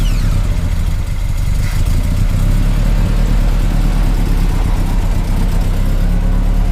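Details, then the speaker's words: Mazda B2000 pickup idling smoothly and evenly right after fixing a no-start and fitting new parts, before replacing the leaking fuel pump; engine fires cleanly with no misses, much nicer now. "pretty smooth now it fires up so much the nicer now"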